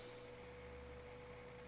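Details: PCChips PC400 M925LR motherboard desktop from a medical clinic, first power-on in about 15 years: quiet, steady whir with a faint constant tone and no rattle or scrape. The PC fans and power supply spin normally during the boot.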